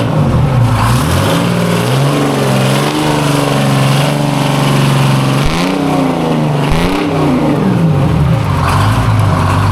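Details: Vintage two-stroke diesel cabover semi truck, first fire-up after revival work: a strong, even drone that rises and falls cleanly with each throttle blip, with no knocks or misses. It runs healthy.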